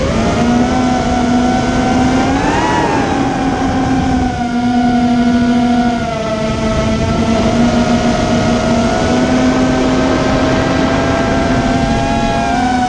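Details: Immersion Vortex 250 Pro motor test run after trying to fix bad bearing sounds: a clean, steady high whine rises briefly then settles, with no grinding, rattle or rough bearing noise. One motor is barely warm and the others feel good.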